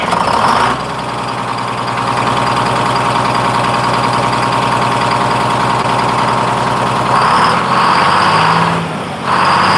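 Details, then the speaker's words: Freshly in-frame rebuilt 671 two-stroke diesel in a 1948 GMC Silversides PD3751 Greyhound bus, still breaking in the rings, quick restart after first run. Even steady drone with no misses or knocks; normal idle. "I'm really impressed at how smooth it is. I'm going to give it one more quick start here."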